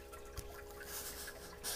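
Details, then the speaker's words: Solar drain-back heating system at 5 pm, with the collector hotter than storage and the pump running: steady low pump hum with a faint water trickle draining down the return line. Normal circulation. "this is the return line from our pump can you hear that trickling down okay that's this is our drain back system so the water comes down here"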